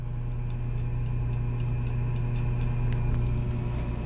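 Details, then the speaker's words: Lochinvar boiler failing to light due to low air. While air is blown into the pressure switch hose, light quick ticks of three or four a second sound over a steady low hum: the air pressure switch is moving, not stuck. "I can't hear that one of the time damn things running but so that's not stuck and I'm pretty sure it might be working"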